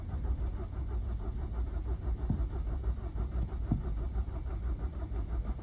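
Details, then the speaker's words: Very low-mileage Nissan Juke diesel that had no diesel in it, being jump-started from a Nissan X-Trail after refuelling: steady rhythmic cranking about one pulse a second that never catches; turns over but won't start. "check the mileage on this one really low mileage fortunately she won't start which is a bit annoying"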